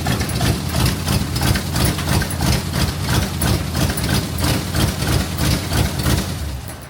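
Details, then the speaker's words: 1965 Chevrolet C10, 283 small block, after points-to-HEI swap; owner thinks distributor may be stabbed wrong but adjusted; even, lumpy V8 beat about three pulses a second settling to steady idle; normal idle. "Um, but it's um it starts. Let me let me crank it up real quick. I'm liking it. Like it a lot."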